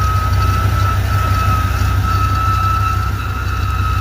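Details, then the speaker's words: Chevy K1500 with throttle-body-injected 350 V8 (reman engine, 6,000 miles over 7 years, good oil pressure): constant high squeal over the idle from the front of the engine, present for years; source unclear. "this truck did just sit for almost a year but it's made that noise for years plural it sounds like it's coming from the front side of the engine"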